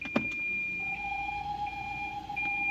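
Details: 2023/24 Fiat Cronos 1.3 with CVT automatic, 53,817 km, on brakes with wheels in the air: a steady high-pitched whine with a second higher tone holds once reverse is engaged; transmission noise, cause suspected, not confirmed.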